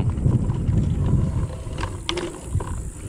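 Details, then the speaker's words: Kugoo Max Speed electric scooter ridden on sandy, stony off-road surface after squeak fixes: light, irregular clicking and rattling, roughly two a second, over rolling rumble; much better, but small rattles remain. "кстати лучше лучше гораздо лучше мелкие дребезжания остались на по фактам"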